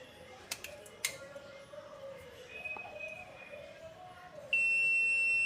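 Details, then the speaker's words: 15-year-old LG single-door fridge that would not switch on; multimeter continuity test on the replacement thermostat gives a steady high-pitched continuous beep after handling clicks, unlike the silent faulty original: new thermostat is good. "ஓகேங்களா இது நல்லா இருக்கு இந்த தெர்மாசட்டர் நல்லா இருக்கு நம்ம இத change பண்ணி ஆன் பண்ணி பார்க்கலாம்."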